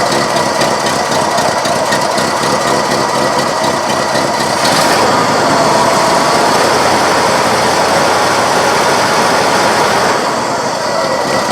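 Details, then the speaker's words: 1970 Cadillac Sedan DeVille after new cap, plugs and wires, heard at the tailpipe when revved: rough, lopey exhaust with dropped beats, missing and labouring; carburetor kit planned, cause unconfirmed. "yeah it's missing carrying on sounds like it's laboring to run just not what we want to sound like when we're cruising around in our old caddy"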